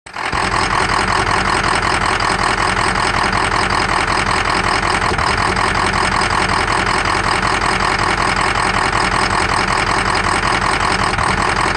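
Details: 2003 Ford Excursion 6.0 diesel idling with loud clatter and uneven stumble about every half second; #5 injector shows low voltage and poor cylinder contribution, small blue smoke puff each miss, FICM voltage good.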